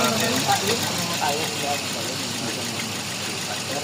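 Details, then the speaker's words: Toyota Vios (Batman) with code P0354, misfire on cylinder #4 involving ignition coil and injector; rough, uneven idle with an irregular skip about twice a second as cylinder four drops out. "Issue ngos dito ay missire number four. Yung ignition coil niya kasama ang injector."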